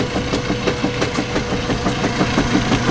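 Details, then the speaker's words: Direct-drive washing machine agitating a load of 10 towels; uneven thumps about three per second over the churning, an occasional knock the owner has heard before without harm; cause unknown. "just pretend we didn't hear that yeah it's actually been a long time since it's made that sound"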